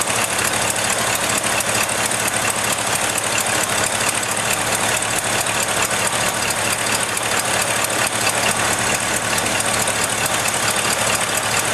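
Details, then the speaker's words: Ford F-100 first start in five years after rebuilt carburetor, doubled carburetor/EGR plate gasket and new spark plugs; steady idle with fast light ticking, runs pretty good but needs adjustment and has a small exhaust leak. "he runs pretty good have to do an adjustment got a little bit of an exhaustive that you"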